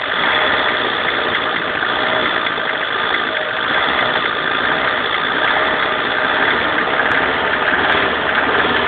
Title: Alfa romeo 145 1.6 TS strange noise from engine